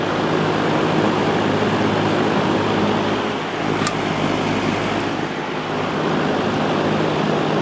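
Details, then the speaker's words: Vintage Lakewood Penney's window fan, Redmond 3.4 A motor, after oiling and reassembly, run up to high: steady whoosh over a low motor hum, no knock or scrape; runs great, slight vibration noted on high. "much of a difference on low at all but uh it runs great it's a bit of a vibration on high speed I'm going to have to do something about that but it seems to be pretty well balanced so that's good"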